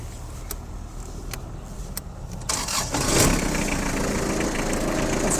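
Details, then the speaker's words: Kubota GT-3 4WD mini tractor with front loader, 651 hours, cold start in frost: a few clicks, then the diesel fires quickly and settles into an even, steady clatter, normal cold start. "давайте сейчас запустим так торец послушаем как работает в нашем морозе"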